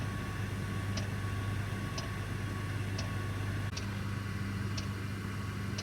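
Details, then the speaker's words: Parked heavy-haul truck, engine off, Webasto bunk heater running: light tick about once a second over a steady low hum, normal heater operation. "by the way if you hear that clicking sound don't be alarmed that's my uh bunk heater Webasto cuz I don't want to run the engine and so I'm running my heater"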